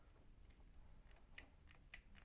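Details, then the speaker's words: Triumph TR8 ignition barrel and steering lock, stiff and sticky before, bench-tested after strip-down and tidy-up, removed from the steering column with the switch intact: a few light, crisp metallic clicks as the key turns, no grinding or catching; the lock operates smoothly. "actually beautiful. I feel like I could get into a car now and turn this key, feeling very confident in the reliability of this lock."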